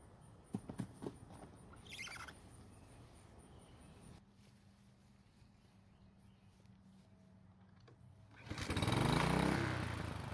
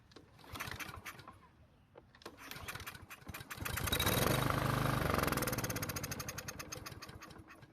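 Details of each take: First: Husqvarna walk-behind trimmer after carburetor cleaned and reinstalled: small engine fires and climbs to a smooth steady buzz; runs normally after fix of no-start. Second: Husqvarna walk-behind trimmer that won't start with gas in tank: cranks, catches on fuel sprayed into carburetor throat, revs a few seconds then sags away; fuel not getting through, a fuel or carburetor problem.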